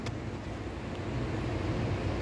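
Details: 2015 Chevrolet Tahoe V8 with code P0300 misfire: uneven, lumpy idle with a low irregular stumble and no steady beat; rough running from cylinders 2 and 3, whose injectors were found open circuit.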